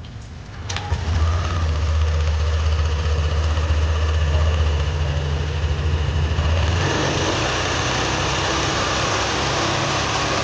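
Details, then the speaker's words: Yamaha Aerox V2 scooter engine idling: a loose metallic rattle over the low hum. Another shop said the engine had no problem. Valve tick from excessive intake valve clearance. "So, so yun yung naririnig na ingay yung parang parang tunog ah kalansing na parang jol na ano eh. So yun yung maingay sa naririnig sa kanyang makina."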